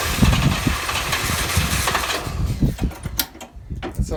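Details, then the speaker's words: Volvo 122S Amazon after 23 years sitting, half choke, first start attempt: cranking catches into a few ragged firing beats then fades within seconds; fuel leaks everywhere, fuel lines need replacing. "that's so almost running everything's leaking all this fuel line needs to be replaced"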